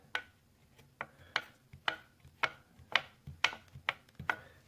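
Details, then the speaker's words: Razor E Prime electric scooter bought April 2021, only 2 km on the odometer, wheel turned by hand: sharp uneven clicks about twice a second from a defective bearing that does not roll freely. "So here you can see that there is a noisy bearing."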